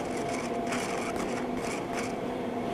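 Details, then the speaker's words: 1997 Toyota Camry XLE at about 176,000 miles, right rear wheel bearing, likely original: dry, gritty rasp with uneven surges as the hub turns slowly and slight tire play, a worn bearing, replaced with a new assembly. "I'm sure these are original wheel bearings they're on there there you can hear it it's I should have showed you too you can actually wiggle the tire just a little bit"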